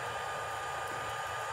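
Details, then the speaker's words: Cabin heat fan in an H5 aircraft, newly wired, master switch on and ignition on accessory: steady airy whir with faint even hum, no ticking or rubbing; fan running normally. "pull on the cabin heat i think you can probably hear it i can feel it not bunch but i can feel it"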